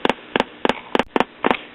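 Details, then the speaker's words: Late-1930s Majestic tube radio just after the leaky output coupling capacitor was replaced and B+ rose to about 260 V. Regular putt-putt double pops about three a second: the audio is motorboating again. "and now we're motorboating again"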